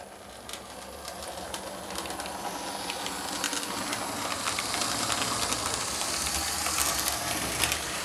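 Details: Lima model locomotive fitted with a 3D-printed replacement gear, climbing an incline on track: steady fast clicking and whirr from wheels and gears, no slipping or surging; drive sounds healthy.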